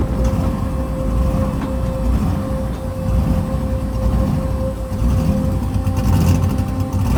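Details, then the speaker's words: Turbocharged COPO Camaro V8 on its maiden drive, water temp good: a loud idle with a steady whistle on top, the note slowly swelling and sagging; idle surge. "Fix that idle surge."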